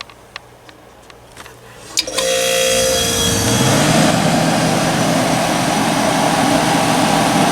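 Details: Curbside-found Hampton Bay (Whirlpool) BHDH2500AS1 dehumidifier switched on: a few clicks, then fan and likely reciprocating compressor start into a steady even hum with faint rising tone and refrigerant flow; runs fine, normal startup.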